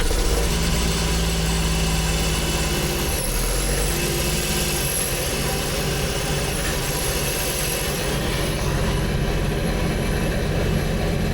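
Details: 2024 Sea-Doo RXPX 325 Rotax engine, replacement engine after factory-defect failure, primed with oil, first cold start with check engine light on; steady even idle, no knocking or misses, new engine settles and runs smoothly.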